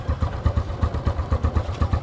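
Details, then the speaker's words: Smash 115 motorcycle single after a tune-up with intake and exhaust valve clearance set and spark plug refitted: steady idle thumping about six times a second, even and regular, no top-end ticking; normal idle. "Naikabit ko na yung spark plug. Moment of truth. So yan, mandar na yung ating motor."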